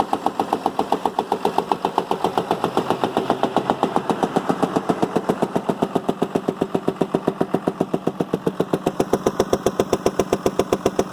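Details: Damaged rear-gear-driven 6.7 Cummins medium-duty diesel run on its own without the truck body or OEM Ford wiring, using only 3 wires and a rigged starter button, to judge if it is worth tearing down; even, steady thumping with no misses or knocks.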